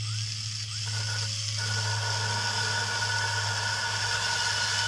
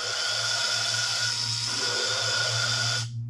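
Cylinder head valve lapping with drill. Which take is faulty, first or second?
first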